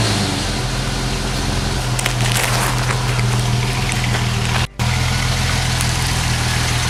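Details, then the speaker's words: Jeep Wagoneer XJ cold start after several days sitting, fuel pump ballast resistor bypassed to cure warm no-restart: took a few cranks, then smooth even cold idle, steady low hum, no knocks, misses or ticks; alternator charging; healthy. "took a few cranks but she started see was good alternator's charging living that life and she's cold go ahead"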